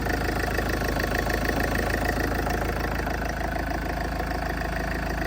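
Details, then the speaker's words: Salvage Range Rover after a front-end rebuild, first start: it starts a little loud, then settles to a quiet, even idle with a steady regular beat and no tapping or rattles; a gearbox error message appeared. "wow it's actually really quiet might be a little sound a little louder on here but yeah wow that's sounds really good"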